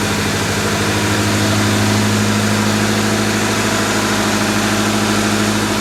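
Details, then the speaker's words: 1998 Honda Civic 1.6L, first run after engine replacement, distributor reconnected, some exhaust noise expected: steady even low idle drone, no knocks or misses, slight exhaust rasp; running pretty good. "Distributor's reconnected. Remember, there may be a bit of noise because of this exhaust."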